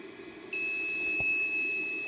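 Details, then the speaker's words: Harbor Freight/Chicago Electric 500 amp carbon pile load tester loading an old revived 12 V battery just under 350 A: steady high-pitched beep signalling the load test is finished; battery passes the load test. "isso a máquina emitirá um bipe quando estiver pronto"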